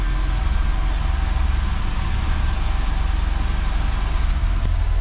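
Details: Mitsubishi Sigma just after the failed Mikuni carburettor was replaced with a 32/36 Weber via an adapter kit: steady, even low idle on the choke with a smooth, unbroken rhythm and no misses; normal idle.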